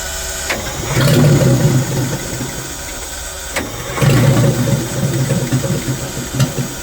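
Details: Detroit Diesel in a vintage abandoned GMC truck, just after battery cables were found hooked up backwards (owner briefly wondered if it ran backwards); lumpy uneven chugging with irregular surges, no clean idle; intake shutoff flap stuck partly closed.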